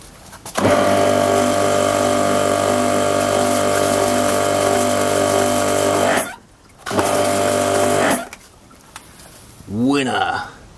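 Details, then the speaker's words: Mac Allister MPWP140ITS pressure washer after trigger gun valve assembly and O-ring replacement, system bled: motor and pump hum up to a steady even whine, cut out and restart cleanly; it now holds pressure instead of leaking water. "let's switch it on ah it actually holds before that was just blowing off or leaking loads of water"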